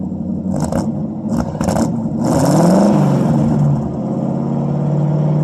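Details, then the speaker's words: 1952 Ford Customline flathead V8, dual exhaust with glasspacks, mic at the tailpipe, cold start after sitting a month or two: two clean revs rising and settling to a steady even burble; normal revving exhaust note, slight smoke noted, earlier stuck valves. "I'll take and put you guys back here at the exhaust. I'll rev it up a couple times and you can hear what it sounds like."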